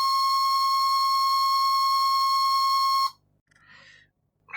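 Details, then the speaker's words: 1966 Addams Family Thing coin bank on two batteries: its small motor gives a steady, piercing high whine, cause unclear. A few drops of IPA in the motor afterward made a difference. "It's still making a funny noise, isn't it? Why is it making that noise? Doesn't sound great, does it?"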